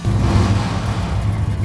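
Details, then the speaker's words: Square body K5 Blazer off-road build during stalled restoration, fired right up; deep rumble revving evenly without knocks or rattles, still sounds good; normal start and rev. "Fired it right up. She still sounds good."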